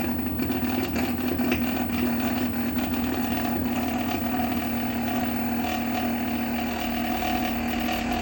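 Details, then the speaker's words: Megmeet Mite series inverter PCB after matching and uploading the compressor data: an even, steady mid-pitched hum with no knocks or surging, and no error. Normal compressor running. "तो दोस्तों compressor हमारा successfully चल रहा है अब हम इसको बंद कर देते हैं यहां पर आप देख सकते हैं कोई एरर नहीं है अब कंप्रेसर हमारा सही से चल रहा है"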